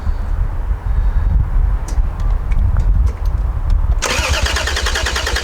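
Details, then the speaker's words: Toyota Supra turbo six, first start attempt in 15 years, WD40 sprayed as starting fluid, clicking jump battery pack and dodgy immobilizer; starter spins quickly with an even churning rhythm but never fires. Crank, no start. "um but there's a lot of things against us uh dodgy immobilizer battery pack that's clicking in and out and sure yeah nothing nothing turn over quickly"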